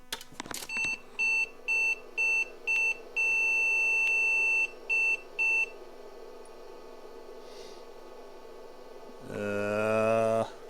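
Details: IBM PC/XT Model 5160 with 7 of 9 bank 0 4164 DRAM chips replaced: a run of short high beeps with one long tone among them, then a drive whir; the long beep flags a still-bad bank-0 DRAM chip.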